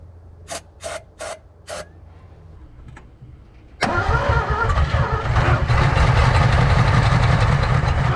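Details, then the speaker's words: 1970s Chevrolet C-10 Custom, sat rusting for 30 years, on a temporary fuel tank and jump starter: short cranking bursts with pauses, then it catches roughly and the jump starter cuts off. The fuel line to the pump was later found crushed. "So I'm taking a look at this fuel pump here and this line going to it, and you can see how crushed this line is."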